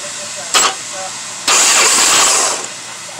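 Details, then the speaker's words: 2007 Jeep Commander with no-crank no-start: starter jumped directly, a short crank burst then a longer strong whirring crank, confirming the starter works; likely a bad connection on the starter signal wire. "that confirms that the starter is working"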